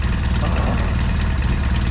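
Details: Polaris RZR 800 after rod bearing repair: steady, even idle with a smooth low beat, no knock or tapping; engine sounds healthy on first start after rebuild.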